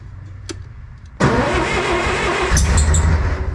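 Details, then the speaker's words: Old Bobcat 600 diesel, cold start on starting fluid with a little throttle: catches abruptly and runs rough with a sharp hiss over the exhaust beat; owner suspects blown exhaust gasket or head gasket. "did you hear that hissing noise yeah that's yeah that's what I need to fix"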